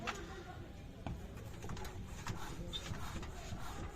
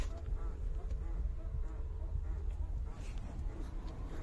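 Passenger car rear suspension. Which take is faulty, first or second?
second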